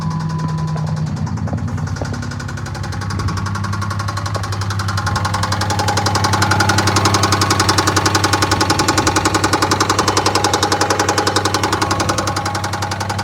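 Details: 2009 Dodge Charger 3.5 V6 at idle: a steady, sharp, loud knock at about 220 per minute rides over the engine, pointing to deep internal engine knock; owner plans to pull and replace the engine.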